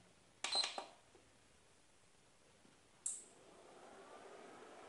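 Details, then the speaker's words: Epson projector converted to LED with added 2-channel relay module switching the LED driver: two short crisp clicks a few seconds apart in a quiet room as it switches on, projection appears fine; normal relay click at power on. "now guys you can see the final result when I switching it on you can hear the sound and now you can see the projection it is fine"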